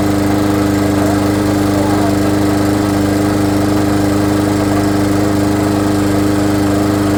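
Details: Lawn mower after repair, armature had been out of place and something was hitting: even, steady single-cylinder beat of about 214 per minute, no stumbling or knocking; runs smoothly.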